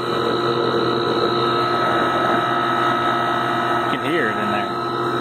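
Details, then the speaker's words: Goodman AC condenser about 15–17 years old, no cooling and cycling off after running a while: steady loud electrical hum with rough uneven drone and fan noise; compressor sounds weak, possibly low compression. "it doesn't sound too healthy as far as sound itself"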